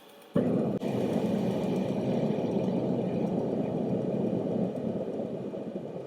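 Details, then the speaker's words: Milwaukee M18 battery-powered forced-air propane torpedo heater (up to 70K BTU), on an XC 6.0 battery: steady low airy fan rush before ignition, even with no catch or rattle; blower running normally. "it's pretty quiet on low that's for sure"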